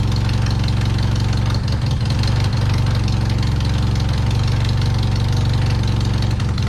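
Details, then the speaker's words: Turbo Miata with major issues after a test drive, idling with heavy, uneven chugging and loose intermittent clacks, neither knocking nor ticking; misfiring, and unplugging plugs now makes a difference; the clack's cause is unknown and the engine may need a rebuild. "Alrighty, so you guys can't hear it, but it's clacking. It's not knocking, it's not ticking, it's an intermittent clack."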